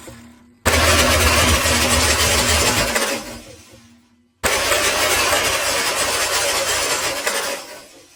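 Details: Ford Ranger 3.2 on starting: two harsh cranking attempts of about three seconds each with a rough metallic grind over the starter whirr; flexplate problem.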